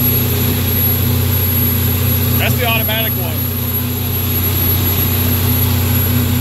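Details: 2004 MerCruiser 496 V8 in a Sea Ray 270 Sundeck under way at mid-range RPM: a faint thin whistle over the steady drone; owner suspects a clogged or missing IAC foam filter or a detached throttle-body-to-IAC hose.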